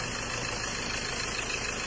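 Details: Mazda BT-50 Pro diesel, towed in with a no-start, after repair: steady, even idle with no misses, knocks or stumbles over a hissy background. Engine sounds healthy.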